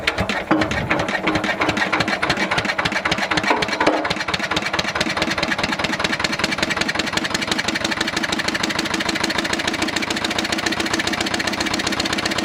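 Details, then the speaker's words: Old twin-cylinder diesel vibratory roller that broke down about 20 years ago, first run after years: harsh, loud, lumpy chuffing at idle as if only one cylinder fires; misfire, owner suspects debris in the second cylinder's injector. "that second cylinder seemed to pick up after a while so it might have just been a bit of crap in the injector or something"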